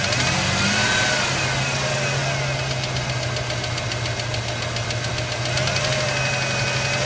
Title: Ranger ticking sound help